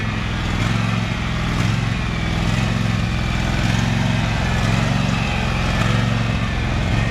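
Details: Husqvarna 2346XLS hydrostatic lawn tractor driving after rust-bound brake and gas pedals were freed with lubricant: strong, steady low rumble holding speed under drive, no stalling or stumbling; normal running.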